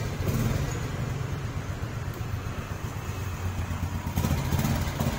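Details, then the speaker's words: Honda 67 SS50 small single-cylinder, weak battery so kick-started: low quiet idle with soft exhaust beat, no knocks or rattles, healthy-sounding engine. "Máy im quá các bạn."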